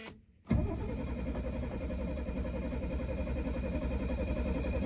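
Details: Abandoned Mercedes after carburetor swap, buzzer sounding: slow, labouring churn repeats steadily for several seconds but the engine never catches; cranking weakly, will not fire.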